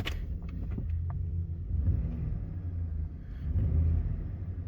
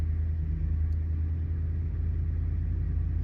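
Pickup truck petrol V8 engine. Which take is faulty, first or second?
second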